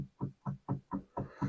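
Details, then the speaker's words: Foot treadle drive of a sewing machine (Podolsk, Chaika, Veritas, Singer type), removed to demonstrate: six dull hollow knocks about four a second from play in the pedal pivot; fix is tightening the pivot with its locknut, lubrication alone insufficient. "все раздолбанные все стучат"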